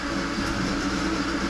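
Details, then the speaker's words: About 40-year-old, never-maintained welder: steady droning whir with faint hum underneath, unchanged throughout; annoying noisy cooling fan, fan to be fixed. "I don't know if you guys can hear that welder. It's really annoying. I'm going to fix the fan on it."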